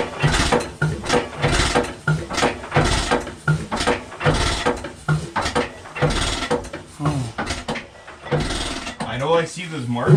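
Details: 1912 12 HP Goold Shapley Muir hit-miss gas engine, first run in about six years: sharp firing thumps about two a second with no coasting gaps. Running rich and faster than remembered; owner suspects fuel opened up, or it's cold.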